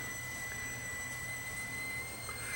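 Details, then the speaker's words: Hitachi DV-PF74 VCR playing tape: steady piercing high squeal over faint hum, from tape oxide residue sticking to plastic tape guide; picture worsening. "And the picture, of course, is well, you hear it squeaking away there."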